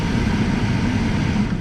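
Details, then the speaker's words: Hyundai Elantra blower motor after cleaning and reinstalling, AC switched on: smooth steady low hum with no wobble or buzz; the earlier vibration from the blower is gone. "so this you just want to put this in also like that and now you can turn on your air and just like that the vibration is gone"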